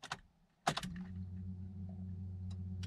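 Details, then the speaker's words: MK4 VW GTI/Jetta after new fuel pump and Bosch 630cc injector install, ignition cycled before first start: key click then steady low electric hum for about two seconds; normal fuel pump priming. "you guys can hear that pump okay so so far i think it didn't turn on there that might be because it's ready to go"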